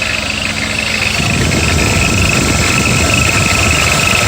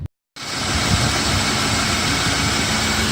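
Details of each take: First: BMW E34 M50 idling: quick, fairly even cricket-like chirp high over the engine; belt tensioner mechanism squeaking, not the rollers, which were replaced in vain. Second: BMW E34 M50 after replacing the belt tensioner mechanism and rollers: smooth, constant idle with a clean hiss and hum and no cricket-like chirp or squeak, the engine running evenly.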